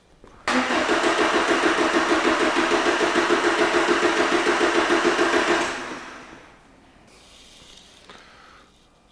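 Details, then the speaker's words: 2011 Ford Transit Connect 1.8 TDCi crank no-start: even cranking at about 3.5 beats a second for five seconds, never firing, and the crankshaft sensor circuit code returns at once. "just go back in the dtc straight back again so the engine acu is obviously seeing an issue with the signal coming from the crankshaft sensor"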